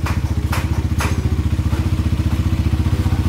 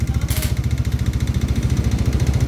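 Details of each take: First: Motorcycle engine after repair of a piston knock that grew louder and scored the block, now in break-in: steady, even thumping at about four beats a second with no knock or scrape, quiet and healthy idle; budget repair. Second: Engine with a knock that started soft and grew louder, block scored, hard to restart once stalled: dull, evenly spaced knock on every beat at idle, called piston knocking; worn connecting rod with piston scraping the bore.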